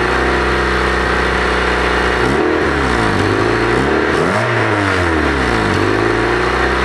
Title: Honda Exhaust Leak